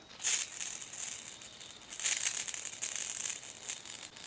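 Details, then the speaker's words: Motor silent, irregular spitting hiss bursts from the nozzle of a Ryobi Whisper Series 40V 2000 PSI 1.2 GPM pressure washer (RY40306BTLVNM), garden hose connected and power off, as trapped air is bled from the line before starting. "You can hear the air spraying out of that. That's what you don't want. You want to eliminate the air in the line before you start"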